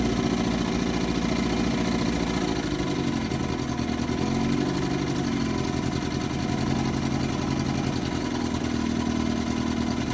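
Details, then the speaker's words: 1955 Johnson 5.5 hp outboard running in a test barrel; steady, even two-stroke buzz at constant speed with no misses or knocks: a great runner. "Another great runner."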